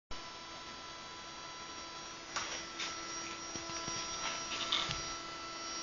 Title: Wii freezing + buzzing sound - Mario Kart Wii online - May 2013